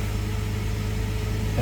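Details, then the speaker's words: Jeep WJ just restarted after new oil pressure switch, suspected bad ASD relay swapped, engine light on: smooth steady low idle hum with even pulses and no ticking or knocking; idling normally, sounds better. "Hey Paul, it sounds a lot better."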